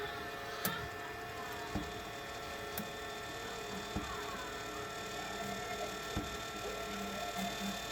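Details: New BossWeld MST185 MIG welder at first setup, feeding 0.8 mm wire through the gun with the tip removed; quiet, steady motor hum with faint clicks, smooth and even throughout: wire feed running normally.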